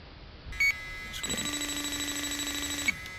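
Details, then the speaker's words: JB Industries LD Prowler 5000 electrochemical leak detector held at the bottom center of a coil: a short chirp, then a sustained high alarm tone with a low tone under it; refrigerant leak alarm. "And I'm going to give I'm going to be quiet for a minute so you can hear the beeping."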